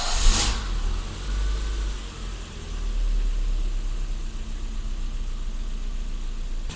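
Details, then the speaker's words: 1984 BMW E30 318i after idle control valve cleaning: engine restarts and idle swells and sags; idle was 1100 before shutoff, 900 after restart, drops about 200 rpm in drive; cause unclear, owner suspects timing. "I shut it off fired it back up after I fired it back up now the idle is at 900."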